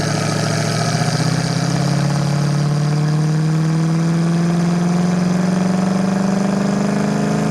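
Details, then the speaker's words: 1968 Ford Mustang, 302 V8 with Holley Sniper EFI and automatic, warmed up on a test drive: deep, smooth drone climbing steadily in pitch under hard acceleration, no knocks or misses; the engine and shifts are good. "Motor sounds good. Transmission shifts good. Easy car to drive. No complaints mechanically."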